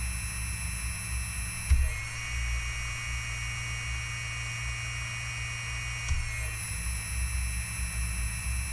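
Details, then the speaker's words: OMPHobby M2 helicopter after aligning motor and mainshaft bearing block: steady high electric whine picks up a rougher buzz at one rotor speed, gone at higher speed; resonance vibration, cause unclear. "There's a vibration there, but it's some sort of... Oh, actually it stopped. But yeah, there's a bit of vibration at that speed, but it's gone at a higher speed."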